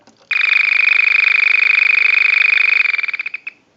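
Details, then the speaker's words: Early-model vintage Frog telephone on a ring-cycle analyzer, ring control capacitor removed from board: fast high buzzing chirp about twenty pulses a second for roughly three seconds, typical of small phones, original ringer working as built. "it just chirps like some of the smaller telephones do. So it's pretty typical, and it doesn't sound like a frog."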